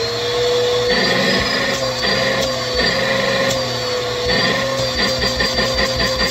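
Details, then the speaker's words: Bissell PowerForce Helix 2191 upright vacuum, reassembled with an older Bissell hose, cap slightly loose: steady high motor whine with constant airflow rush, even pitch; works well. "It's ready to go for use though. So yeah, that actually works pretty well now."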